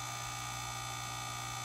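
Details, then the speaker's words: Fluval FX6 aquarium canister filter right after first maintenance (about a tablespoon of sand found inside): constant harsh electric buzz with steady high hum from the motor, previously silent; owner suspects sand in motor, unconfirmed. "anyway that's what it sounds like they went from absolutely quiet for me cleaning it into making this horrendous sound"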